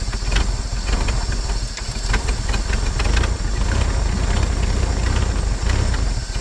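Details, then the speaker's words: 1950 Chevrolet Styleline, parked about 7-9 years, first start running on gas from its own tank: engine fires and settles into a steady, even low rumble with no knocks or misses; normal running after start. "come on baby did you just hear it kick in that's awesome that's it girl"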